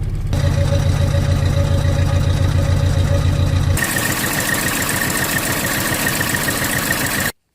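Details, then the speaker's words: 1995 Holden Rodeo 2.6 with new distributor cap, leads and plugs; a long-detached lead had been sparking across from the distributor. After moving it, idle is uneven and lumpy with a stumbling beat; owner thought one cylinder wasn't igniting. Rough idle. "So what's happened before is the lead has been close enough to the distributor for the spark to jump and ignite the spark plug. Yeah, but that's running rough."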